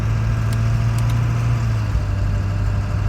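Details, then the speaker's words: 2000 Ford 7.3 Powerstroke diesel truck while driving, coasting off throttle: steady low rumble with soft air rush through the turbo and zero injector clatter; normal deceleration fuel cut-off. "essentially cuts out. There's zero clatter from injectors or anything. You can still hear air moving through the turbo, I think is what I'm hearing."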